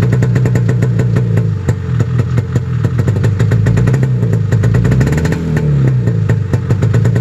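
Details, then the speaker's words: Snowmobile cold-started at 28°F at 7am. Busy, slightly uneven idle with light clatter settling into a steady beat around 1500 rpm; normal cold start. "that's not terribly loud well that's good last year it seemed like it would take quite a few pulls and granted i had 35 pilots in there but i also had a half degree bigger cutaways"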